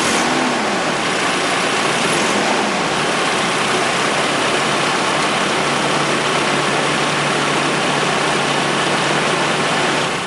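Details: 1996 Nissan KA24E four-cylinder after installing timing chain tensioner spacer: steady even roar with no morning start-up chain rattle, then clean shutoff; rattle fixed.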